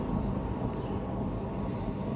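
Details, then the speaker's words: 2008 Ford Fiesta passenger-side rear wheel, car jacked up and wheel spun by hand: a gritty rumble with a faint scrape each revolution from a faulty rear wheel bearing, before replacement. "when I Sprint you can hear the noise this is the bearing noise"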